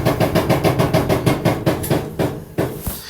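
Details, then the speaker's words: LG front-load dryer DLE1101W before repair: repeated hollow knocks three or four per second following drum rotation; one of the drum wheels suspected bad. "this is what it sounds like just give you an idea so I think one of those Wheels is bad"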